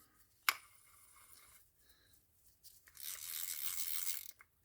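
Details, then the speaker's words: Vintage Shakespeare Wonderflyte 1765 push-button spin cast reel after full service, cleaning, lubrication and replacement of an obsolete part: a sharp snap, then fast dry ratcheting as the handle is worked; the anti-reverse dog clicks and catches properly. "anti-reverse works good and you can hear that dog clicking in there"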